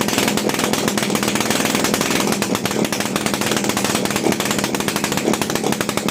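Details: TVS XL Heavy Duty two-stroke moped, freshly rebuilt engine on extra oil in the fuel, light throttle: rapid crackling buzz firing steadily with no knocks or misses; running fine.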